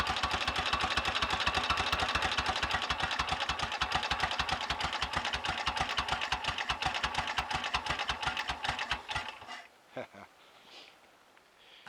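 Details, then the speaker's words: 1930 Royal Enfield Model K 1000cc V-twin after full engine rebuild, just back from first short test ride, oil pump on setting 2: slow, loping but even beat about three pulses a second, no knocks or rattles, idling before shutoff; healthy. "I might have bungled 1 or 2 gear changes and the front tyre went down, but you can't blame the bike for any of that. Listen to that, that's music that is,"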